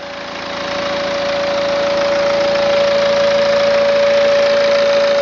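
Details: 2009 BMW E90 320d diesel, 130,000 km, steady idle with a constant mid-pitched whistle-like tone and fast even clatter; turbo trouble suspected, not confirmed.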